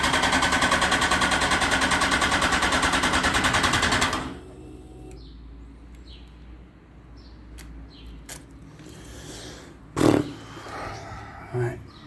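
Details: Yamaha FZ1 with brand-new battery after a valve clearance adjustment; starter churns evenly at about three beats a second for four seconds with no firing, then silence: cranks but won't start, cause unknown.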